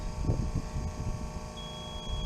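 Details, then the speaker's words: Machine being refueled with the key off and its black button pressed: over a low outdoor rumble, a thin, steady high buzz starts and holds. This is the normal fuel level indicator tone, heard while filling to judge how full the tank is. "you hear it buzzing that tells me how much fuel is in the machine so that it you know while even with the key off it'll it'll do that to tell you how much fuel is in there"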